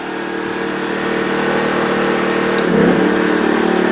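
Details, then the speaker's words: New TACKLIFE 1800 W inverter generator as an air conditioner is switched on: steady hum, pitch steps up about three seconds in to handle the surge and 500–600 W load, no louder afterward; normal. "And it really didn't get any noisier once it got past the surge of it kicking on. A little bit faster RPM to make up the 500 watts, 600 watts I'm using."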